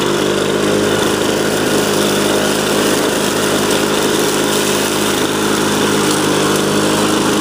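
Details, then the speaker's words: 2001 Lawn-Boy DuraForce two-stroke mower after new ignition coil, cleaned fuel system and rebuilt carb: steady high buzzing run at constant speed, even, no surging or sputter; healthy. "you can see running and this is how a machine should run typically if it's in relatively okay shape"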